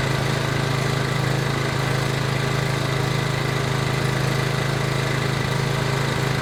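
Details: PowerBoss 5500 W generator, Briggs & Stratton 9.5 hp OHV, rebuilt from parts, restarted with priming fuel: steady even low thrum at constant speed, no misses or knocks; running pretty good.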